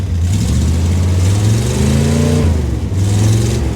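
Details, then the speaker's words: Cold start of a V8 with side pipes and air shocks: deep, throaty burble swelling with each throttle blip and settling smoothly; runs fine, healthy V8. "But this runs just fine. And uh well it should should start up right now."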